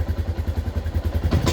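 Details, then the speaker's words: Yamaha Jupiter MX New 135 with a weak battery, owner complaining of severe stumbling at initial throttle, low power and high fuel use: low uneven popping idle, then a ragged stumbling burst on a snap throttle that sometimes stalls; misfire traced to a failing CDI. "Jadi tidak bisa ee responsif ketika kita lakukan open gas secara spontan. Nah, nah kadang mati kalau kita memang terlalu ee ekstrem untuk bukaan trotol atau gasnya."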